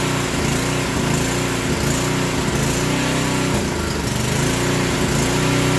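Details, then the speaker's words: Small generator: engine speed rises and sags about once a second instead of holding; fuel drains very slowly through a restricted line, and an idle adjustment or governor spring is also being considered. "all right so there's a couple of things we can do we can first try to adjust the idle so that it doesn't come down so much and we may have to put a spring on this Governor"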